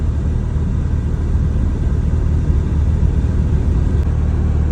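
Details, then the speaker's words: Mazda RX7 FC3S rotary, after stock ECU reset and relearn fixed a rough idle: deep, steady rumble at idle with no hunting or bouncing; warm engine idling normally. "see when I stop the car H see yeah you all guys see no rough idle hiden bouncing everything also don't have"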